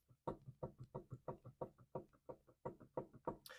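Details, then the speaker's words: 2004 Pontiac Grand Prix GTP on jack stands, front wheel rocked top to bottom by hand: paired hollow clunks about three a second from internal looseness; worn wheel bearing play. "so I can feel you can probably see the wheel actually moving and you can hear that clunking back and forth so that tells me this wheel bearing is shot it's loose internally and that's where the play is coming from"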